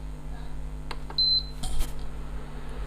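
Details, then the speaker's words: Repaired induction cooktop switched on with a bowl of water on it: one short, high beep with a few clicks as it starts and heats normally, and the water soon boils. "तो देखिए induction चालू हो चुका है। अब थोड़ी देर देख लेते हैं ये पानी गर्म होता है या नहीं।"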